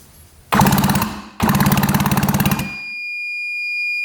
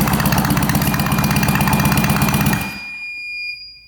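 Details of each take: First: 1966 Yamaha YL1 motorcycle, never run in 15 years by its previous owner: electric starter spins the engine in quick even pulses, about fifteen a second, with no firing; neither plug sparks; cranks fine but no spark. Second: 1966 Yamaha YL1 motorcycle, not run in at least 15 years, compression test on the electric starter with throttle not open, reading about 120: even, strong cranking beats about four a second for 2.5 seconds; good compression.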